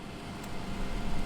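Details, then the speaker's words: Fresair 12V rooftop air conditioner installed in a RAM Promaster 2500 van, about 60°F outside. A soft, steady hum with a light air rush and no rattles or surging; the pump kicks on periodically to push water up. Normal running. "Every once in a while you can hear the pump kick back on as it pushes more water up here, but it's amazing. It's really quiet and it's doing a great job."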